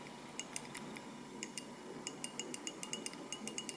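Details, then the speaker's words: 2007 Peugeot 307 facelift 1.6 petrol, boot release mechanism removed: crisp light clicks in short irregular bursts as the mechanism presses the switch button; switch actuating normally, random opening blamed on dirt and stuck rubber spring. "It's down here, that when you press on that thing, that mechanism like that, this little button presses on that button here, the switch, and you can hear it probably,"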